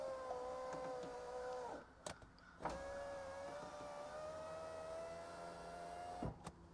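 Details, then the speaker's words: 1991 Alfa Romeo Spider passenger-side window, final test after a new Centerline motor with the door panel refitted: a smooth, even whine rising slightly each run, firm stop thumps, no grinding or hesitation, working normally. "one more time she is smooth [Music] and that is a wrap window is perfect now"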